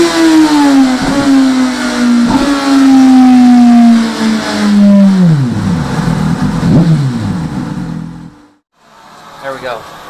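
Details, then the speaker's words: 2017 Suzuki GSX-R1000R with HM quickshifter: engine note steps cleanly between gears without stumbles or cut-out gaps; upper gears very smooth both up and down, lower gears possibly still needing sensitivity tweaking. "sounds good sounds good upper gears very smooth yeah nice and smooth both up and down"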